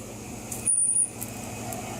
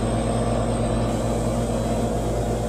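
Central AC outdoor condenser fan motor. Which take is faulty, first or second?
first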